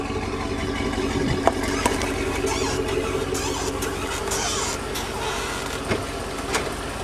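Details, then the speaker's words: 2003 Chevrolet Avalanche rolling slowly in reverse: a faint alternating high squeak over the engine, heard only in reverse, not forwards; suspected dry, worn drive shaft universal joint. "when I put the vehicle in reverse, it squeaks, and it's an alternating squeak, so I'm pretty sure that it's the universal joint in the drive shaft."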